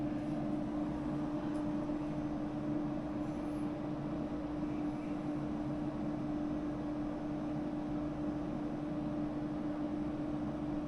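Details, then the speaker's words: Air conditioner after a low-voltage short repair, tested by cycling the thermostat: steady mid-pitched hum with even fan rush, no rattles or cycling; normal air conditioner operation. "all right just clicked everything should kick off everything kicked off"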